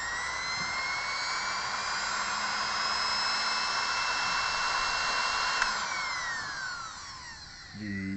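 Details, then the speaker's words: Sewing machine motor after repair (owner had complained it wasn't reaching full RPM), reassembled and plugged in: smooth, steady high whine at full speed, then winds down evenly with no stumbling; motor now runs normally. "जी, अब देखिए जनाब मोटर कैसे चलती है। अब देखिए मोटर की आवाज़ भी आपको पता चलती होगी कि मोटर ये"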